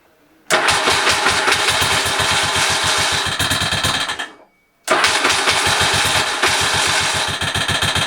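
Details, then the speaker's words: Motorcycle engine at start-up: sharp ticking, about three a second, runs through the idle and seems to come from the side; the source is unknown, and an oil change is being considered to address it. "it's unbelievable ticking noise what I hear there I absolutely not sure what that is looks as if it's coming from the site"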